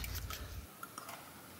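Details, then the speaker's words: Mercedes R107 with KE-Jetronic, engine off: EGR valve tested with a hand vacuum pump, sharp clicks as vacuum is applied and released show the plunger moving freely; EGR valve working normally. "you have all heard that click now if now I release the vacuum is fading and it will click again"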